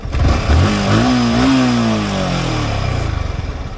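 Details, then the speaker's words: Yamaha R15 motorcycle at 13,000 km, about two years old, listened to near the fuel tank: the engine revs up and falls back with a light mechanical clatter. Owner unsure whether it is engine noise or the timing chain. "दो साल के बाद इसमें हमको लग रहा है थोड़ा बहुत इसके इंजन से नॉइस टाइप में आवाज आ रहा है"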